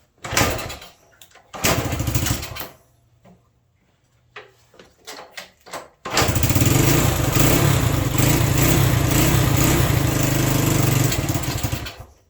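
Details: Re-ringed worn Honda SL100 single in a 1975 SL125 frame, cold on choke: coughs and catches in short bursts with gaps, then an uneven lumpy run; owner suspects carburetor issues or timing, later adjusts carb screws; rough running.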